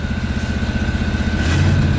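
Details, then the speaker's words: 1989 Ford Bronco just after jump start with new battery cables, fast busy idle with quick even pulses rising partway; later sputters, main issue is poor throttle response; high idle. "You wanna idle high? You can idle high. Just don't die on me."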